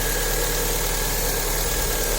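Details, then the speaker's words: Fiat Palio Fire engine, earlier with low oil pressure and engine noise, now rebuilt and started with the timing set: smooth, even idle with a steady low hum and no knocking or ticking; running well. "Mas pela ordem né redondinho no ponto sem ferramento até bom andando depois né"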